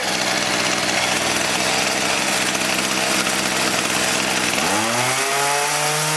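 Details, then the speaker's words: Echo HC-1600 two-stroke hedge trimmer, revived after sitting a long time: rough buzzing run that suddenly climbs into a thin, screaming high rev. High-speed carb mixture is too lean and needs opening about half a turn; idle may need resetting. "We need to open that up. Give it a good half a turn. We may have to set that idle up again."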